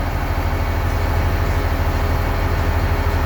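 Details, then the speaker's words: Diesel engine with hard starting and low power, earlier fault SPN 57 code 559: deep steady rumble with an even beat near 200 per minute, no misses or knocks; normal idle, dashboard readings normal. "hello guys all of you now guys the engine is start but I check the dashboard the normal reading of the all specification of this [Applause] engine"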